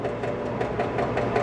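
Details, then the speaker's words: 1967 Williams Magic City electromechanical pinball during score reset: score motor cycles with an even clatter about five times a second but the thousands reel never resets to zero, though it advances in play; reel wiring fault. "you can hear the score motor running uh which we will do until that thousand hits zero"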